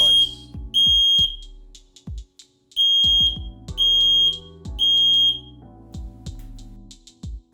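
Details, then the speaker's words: FireAngel Pro Connected alarms during wireless interlink pairing, test button pressed on another device: loud high-pitched beeps in short repeating groups over quiet music; normal alarm test sound. "You can then test the network by pressing any of the test buttons on any of these devices and listen for an audible sound."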